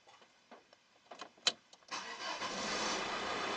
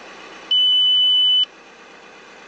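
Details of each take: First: Audi A6 after replacing brake fluid reservoir and/or level sensor: a few clicks, then the engine cranks, catches and settles into steady idle with no warning chime afterward. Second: Audi A6 after replacing the brake fluid reservoir and level sensor: repeated high-pitched one-second beeps of the low brake fluid warning at start-up, confirming the new sensor detects low level.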